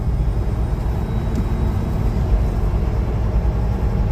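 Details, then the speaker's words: Semi truck diesel running while the wheel is turned, after adding power steering fluid to the reservoir to cure an earlier whine: steady low rumble with no whine; the power steering pump sounds quiet and the noise appears fixed. "You guys don't hear no whine, do you? Not one dang bit."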